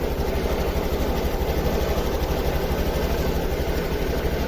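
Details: Honda Activa 6G scooter with missing and hesitation complaint, just started for scanner data stream check: uneven, lumpy idle, roughly 105 pulses a minute, skipping now and then; misfire traced to a faulty O2 sensor.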